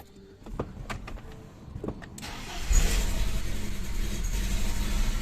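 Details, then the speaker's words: BMW E46 M43TU engine knocked at revs and on cold start but idled fine. After replacing rockers and hydraulic lifters it runs quieter and smoother, yet a dull rhythmic knock remains at rough idle; owner concludes connecting rod bearings. "Не, пацаны, это шатун. Типа, блядь, стало тише. Работать стал мягче. Но это ебаный шатун."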